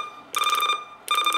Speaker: the key beep this is whenever you press buttons on the radio it beeps this is you can turn it on or off